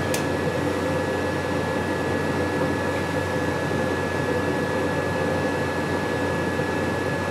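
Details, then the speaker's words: Rheem furnace inducer motor being checked while running, amp draw measured with clamp meter: smooth even hum and steady whirr without rubbing or rattle, healthy. "I just want to check the inducer motor nobody likes to really check those"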